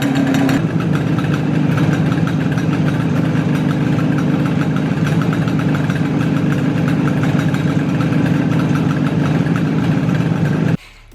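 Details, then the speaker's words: IZh Jupiter two-stroke twin rebuilt with Kent pistons in cylinders bored to a loose 0.2 mm clearance, listened to from the side while idling: both cylinders run evenly but knock dully rather than ring (offset wrist pins toward exhaust), piston slap. "копы цилиндр работают нормально достаточно равномерно но ток стучат причем именно не звенят а стучат"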